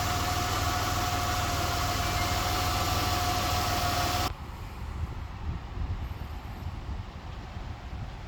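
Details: 2004 Buick 3.8 engine after adding Marvel Mystery Oil: steady even low idle hum with previous ticking noise gone; idling smoothly and healthy.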